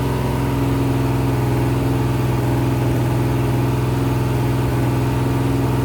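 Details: Rebuilt 426 Hemi crate V8 (new heads, intake, pistons) on a run stand during flat-tappet cam break-in, about 15 minutes in at roughly 210°: steady, even fast idle around 2500 rpm, no ticking or knocking; healthy, cam broke in without failure.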